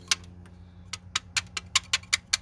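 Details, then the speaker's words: 2010 Ford Explorer 4.6 V8 running: sharp, bright ticking about five times a second over a faint engine hum; suspected loose timing chain, with the tensioner thought broken and not moving enough, while the other side's chain is tight. "for timing I think that tensioners broke it doesn't it won't move enough where it's at"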